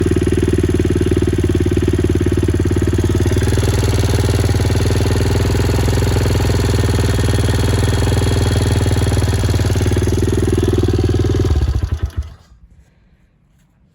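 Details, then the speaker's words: 2003 small single-cylinder bike after valve clearances reset to manual spec for intake and exhaust, previously chattering; steady even idle with light regular valve tick about four per second; normal idle. "as you can hear the bike sounds pretty good you're going to get some of that ticking with these smaller engines anyway"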